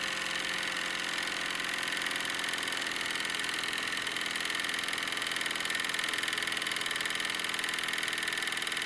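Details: Wilesco D-18 tabletop steam engine running outdoors, throttled down after running fast: even, quick chuffing about three and a half beats per second with a bright hiss; normal smooth running.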